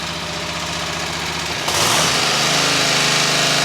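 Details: Kohler engine after flywheel broken-teeth hack with donor parts, choke pulled: fires and settles into fast even chug, about 220 a minute, steady healthy run; repair working.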